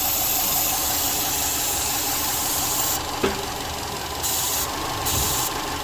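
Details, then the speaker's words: 2002 Subaru Forester turbo EJ255, running lean at idle with P0171: a sharp, steady hiss from the front of the engine bay over the idling engine. It cuts out and rpm changes when covered; a vacuum leak from a disconnected hose. "as soon as i opened the bonnet i could hear a vacuum leak down the front here"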